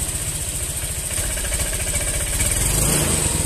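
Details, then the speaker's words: Honda Vario scooter being throttled: idle thuds turn uneven and stumble with delay on initial throttle before revs pick up; weak fuel pump pressure starving the injector suspected. "Nah ini ya dia untuk tarikan awal dia itu sedikit agak berebet teman-teman agak delai nih"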